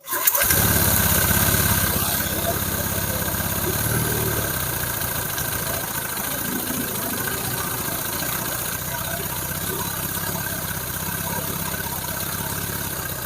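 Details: Honda Vario 150 during engine rebuild, restarted after valve clearances set to 0.10/0.15 and idle screw adjusted: scooter catches and settles into a steady, even idle with no knocks or rattles; smoke is only oil dripped on the exhaust.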